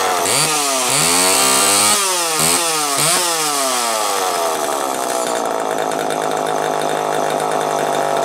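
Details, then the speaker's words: Homelite EZ Automatic chainsaw after repairs; it previously ran only briefly. Walbro HDC carburetor sorted, new air filter, new Tygon fuel hoses. Crisp rev blips, then a clean, steady idle; revs freely and healthy. "As you can hear, it's running pretty damn good right now. Needed an air filter."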